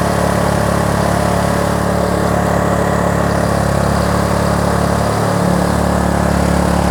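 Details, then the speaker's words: Kraft&Dele KD681 3000 W inverter generator under 1 kW load: steady, constant-pitch drone that doesn't labour, output 232 V, load not felt; normal running under load. "і так 1 кВт навантаження взагалі не відчуває на виході 232 в"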